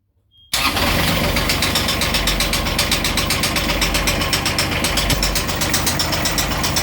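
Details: Beta 25hp marine diesel at 700 hours starting and settling to idle with a sharp, regular knock over the clatter; diesel knocking at idle.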